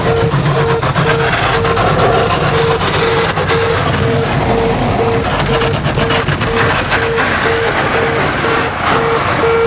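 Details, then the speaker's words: Gear-up warning beeping, steady rapid mid-pitch beeps about three a second over loud engine and wind noise, during a check-ride landing approach while the crew ignores the warning system. "you'll hear a beeping that is the gear up warning system"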